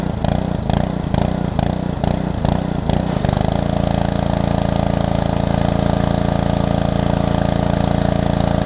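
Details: Small engine on a pressure washer, part of a used equipment lot, water hooked up and purged: a few rapid pulling chuffs, then it catches and settles into a steady, even drone with no misses; normal running.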